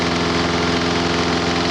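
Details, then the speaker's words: Lawn mower small gas engine, brought in not running with weak spark, idles smoothly with steady beat after WD-40 spray test on intake gasket; no rev change, so no air leak. Normal idle. "If that was leaking, it'd rev up or do something different. Same way as it's got in here. Okay? So if that was leaking, would have killed the motor out."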